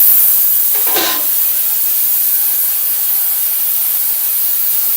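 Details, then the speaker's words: Parts cleaner used on gas edger parts, full of fluid with lid on: steady, loud high-pitched hiss that never changes, brief rustle near start; running unusually loud, owner suspects lid needs gasket material. "yes sir, that's fucking loud. I think I just need to put some gasket material on this lid, so when I put it down, but it's still loud, right?"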